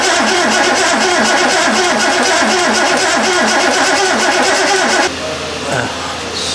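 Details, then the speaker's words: Triumph TR6 under restoration, non-original fuel pump, rebuilt metering unit: steady starter cranking for five seconds with no firing; no fuel coming from the metering unit, suspected ignition timing fault. "no fuel coming out the meeting unit still um so yeah as you might have heard there my brother reckons uh timer"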